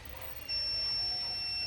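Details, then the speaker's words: Speed Guardian alarm buzzer on the new RX480E-4C receiver chip: a thin, high buzzer tone starts quiet and slowly climbs to full volume. This is due to the new chip's bad power delivery to the data line; the older RX480E-4 chip gives full volume at once. "I'm going to turn on the relay and it starts out really quiet and it gets louder and it gets louder"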